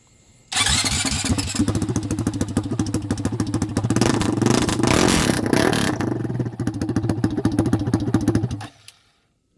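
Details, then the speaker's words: Motorcycle started in neutral with exhaust removed, before fitting RS4 exhaust; catches instantly, loud crackling open-pipe bark with quick blips, runs cleanly, just unmuffled. "okay she's loud let's hear this bad boy you heard it with no exhaust"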